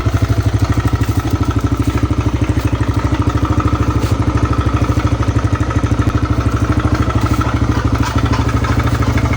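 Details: TVS Raider motorcycle at steady idle with an even, loud, very regular clatter about three times a second; abnormal engine noise, cause not pinned down.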